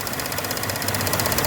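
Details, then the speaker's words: 2021 Chevrolet Spin (GM) petrol engine at idle: rapid, even ticking over a steady idle that sounds like a lifter or engine noise but comes from the clicking canister purge valve. "Sabe o que que é esse barulho? Válvula do canister aqui, ó. Essa válvula aqui, ó. Essa é o problema todo, vem dela. Ela tá tracando, ela tá batendo."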